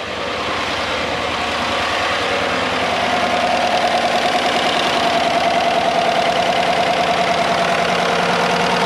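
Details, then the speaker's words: 2015 Chevy truck 5.3L V8, replacement used engine first start with fresh Castrol Edge 0W-20 and new filter, no codes, oil pressure a bit over 40, hood open: steady even idle, no knocks or misses; normal idle. "she runs we got oil pressure showing over a little bit over 40. it's running good he's got a full tank of gas got a hood open sounds good"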